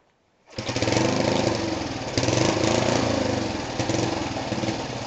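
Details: Rebuilt small single-cylinder go-kart engine on its first start after the rebuild: it fires right up, revs crisply and settles to an even, steady run with no knocks or misses. Normal, healthy running.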